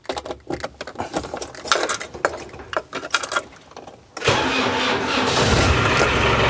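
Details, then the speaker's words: Land Rover Defender 110 diesel after front crankshaft oil seal repair, with a temporary pump fitted and a bit short on ATF: about four seconds cranking, then catches and settles into an even idle, quieter than before, no whine or rumble. "let's fire it up see if it sounds any quieter or whether it just blows up it hasn't blown up yet so we're all good"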